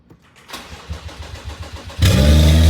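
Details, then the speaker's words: Crash-rebuilt BMW M135i F20, first start in seven months after the fuel pump was heard priming: steady cranking for about 1.5 seconds, then it catches cleanly and settles into a strong, even idle; normal engine start. "this moment was so surreal for me from not knowing where everything goes and having to figure it out to finally having this car starting in very good shape"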